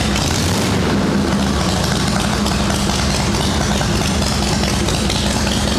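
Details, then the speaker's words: Shovelhead chopper V-twin idling after drying out from rain-related misfiring: loud, steady idle with an even low thump, no misses or stumbles; wet coil or plug lead suspected, points and condenser good. "That sounds fine right now."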